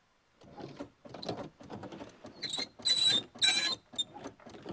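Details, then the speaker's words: Peugeot 405 Mi16 on its first restart attempt: ignition comes on, but turning the key gives only irregular bursts of sharp clicking, about two a second, with no cranking. The cause is unclear; fuses and relays are to be checked. "clic clic. D'accord. OK. Euh bien euh bien non pas bien du tout pas bien du tout."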